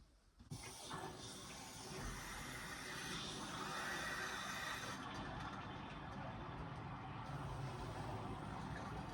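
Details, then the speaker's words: Old electric water heater in a barn being refilled after draining, with the cold water intake valve reopened. Steady, continuous rushing hiss of water flowing into the tank; normal refill. "Okay, so water's back on. We hear it filling up. And I'm gonna give it time to fill up."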